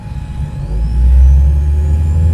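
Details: Car speakers pick up a thin alternator whine over heavy engine rumble with the engine running, rising in pitch as the throttle is pressed; silent with the engine off, fixed with a noise suppressor filter.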